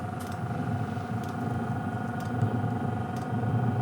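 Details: Cheap eBay Webasto-clone diesel night heater at initial startup, glow plug heating the combustion chamber; even fan whir with soft ticks about once a second from the dosing pump, normal pulsing before the heater fires.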